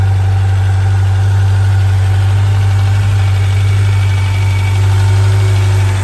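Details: 1995 Suzuki GSX600F Katana four-cylinder with carburettors synchronised after valve adjustment, oil change, new spark plugs and correct carb vent pipe routing: steady, even low hum at idle with no hunting, misfire or ticking; normal idle.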